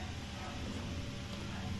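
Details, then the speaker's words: Yamaha Aerox 155 scooter, no check-engine light and no error code stored: starter churns with a steady low drone but engine never catches or fires; crank no start. "So mapansin niyo hindi siya nag-start yan. Okay. So narredon siya pero hindi siya na-start."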